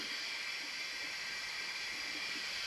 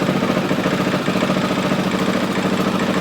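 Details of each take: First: 2003 Honda XR400 leak-down test, engine not running, reportedly new cylinder/top end: steady airy hiss heard in crankcase, not intake or exhaust, air bleeding past rings. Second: 2003 Honda XR400 single-cylinder, first run after valve clearance and cam timing checks, warming up: steady even thump at idle about three pulses a second, no knocks or rattles; runs healthy.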